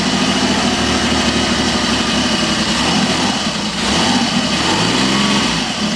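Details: BSA Rocket 5-speed twin, kick-start only, after a valve adjustment and tightening the loose rocker boxes: it starts on the first kick and idles with an even, lumpy beat with no top-end ticking or knocking. Normal idle.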